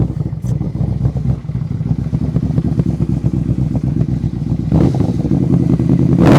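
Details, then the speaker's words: 2008 Yamaha Royal Star Venture 1300 V4, about 58,400 miles, in neutral: lumpy, rough idle with a rev blip, fuel smell and slight black smoke; running rich, carburetors suspected needing rebuild or tuning. "see she starts up idle's okay a little rough idle there but you leave this thing idling you can smell the gas you can almost see a little black smoke coming out"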